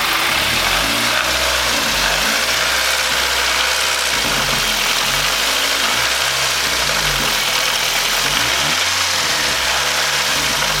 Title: weird noise/knocking/grinding